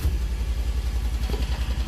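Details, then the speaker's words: Single-cylinder engine on a car after a carburetor fuel-float fix idles with low, regular, even thumping at about seven beats a second; the float no longer rises, the full filter isn't overflowing, and the fault was not what the owner thought. "and the engine is idling as it should the float's not coming up to the top that's awesome"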